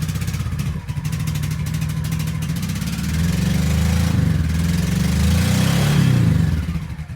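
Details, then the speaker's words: Free Honda Shadow Sabre 1100 restarted after its unplugged fuel pump was plugged back in: uneven, lumpy V-twin beat that surges and sags with the throttle; rough running, cause not yet found. "okay give her a shot now this thing's not running right but it's running"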